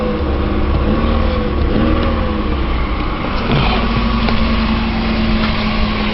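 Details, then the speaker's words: 2001 Chevy Malibu, 296,662 km, cold start after replacing the idler and tensioner: steady, even idle with a smooth hum and none of the old cold rattle, which owner suspects came from the loose idler-tensioner assembly. "Now something that sounds a lot better. This thing used to rattle like crazy when it was cold."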